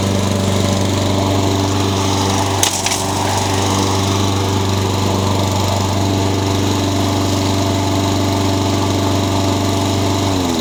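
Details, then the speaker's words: Honda GCV160 (owner thinks) on a Craftsman mower, after new carburetor replaced one that surged even after cleaning and an unbalanced blade was replaced: steady, even drone at constant speed, no bouncing or knocking, easing off at the end; runs smoothly. "you have one of these Honda engines I think it's a GCV 160 and it's revving and you've tried to clean it and if you wondered about buying a new carburetor go for it"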